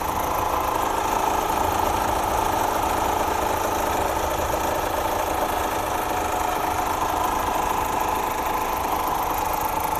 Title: Стук гидрокомпенсаторов